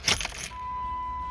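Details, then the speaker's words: Jeep after fuel system work: key on, engine off, a thin steady whine holds at constant pitch as the fuel pump primes and pressurizes the system; normal pump priming. "Oh, I heard it. All right, so the system should be pressurized."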